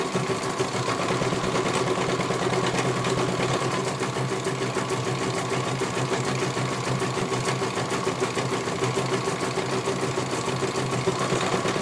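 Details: CNY computerized embroidery machine being serviced, whose dynamo motor earlier would not turn: fast, even needle-bar chatter over a steady motor hum, no grinding or skipping; stitching normally, one colour finished, judged very good.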